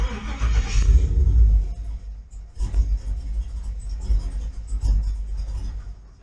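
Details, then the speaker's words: Truck with a FiTech intake manifold, refitted with Deatschwerks injectors and a new HP Tuners calibration just flashed: on a start with no throttle the engine fires, revs briefly, then stumbles and dies. Tuning still being worked out. "Okay, so it sounds like we are closer. It did fire without me giving it gas, but then it stumbled and died."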